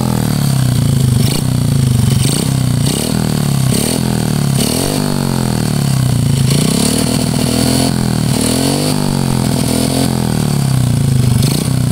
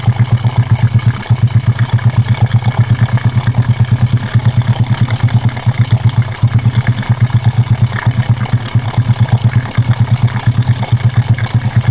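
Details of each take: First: Honda Karisma single-cylinder revving with a coarse, rattly clatter on each rev rise; also white smoke from exhaust. Mechanic predicts piston needs oversize replacement plus valve adjustment and valve guide check; piston wear suspected, not confirmed. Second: Honda Karisma single cylinder after an oversize piston and valve reseat, previously smoking white with rough piston noise: deep, even thump just under three beats a second, steady with no clatter; healthy idle.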